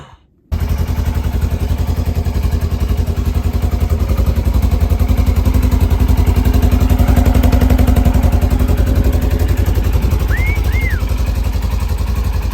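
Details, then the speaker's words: Burnt RZR after rebuild, started with help of starting fluid: steady even low rumble at idle, firm regular beat, no knocks or misses; runs perfectly. "it was having a little trouble starting but i just had to throw some starting fluid and it started right up let's see it it's perfect minty"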